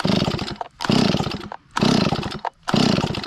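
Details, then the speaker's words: Stihl 025 chainsaw, hot after running, plenty of fuel and spark confirmed: repeated pull-cord cranks about one a second, engine turns over but never fires; carburetor flooding the engine causes hot no-start, also smoking from muffler; carburetor later replaced. "Yeah, I think it's flooding. I think that carburetor is flooding out, and that's why it won't crank when it's hot."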